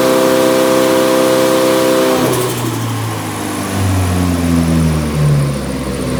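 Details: Nissan 180SX Type X, SR engine with TD06 20G turbo, Nistune ECU, on the dyno at 15 psi with injectors maxed near 255 rwkw: strong, clean pull, note rising smoothly through the revs, no misfire or stumble. Healthy turbo engine under load.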